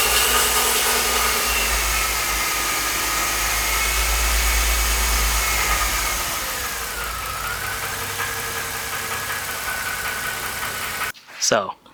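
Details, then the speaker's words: Mercedes M272 at hot idle after a flush and oil change to 5W-50: light, fairly even tick of about 100 per minute, lifter-like; the valvetrain knock persists, maybe slightly quieter, so thicker oil did not fix it. "As you saw in the last clip, the knock is still audibly there. However, it might be at a lower pitch, it might be a little bit quieter."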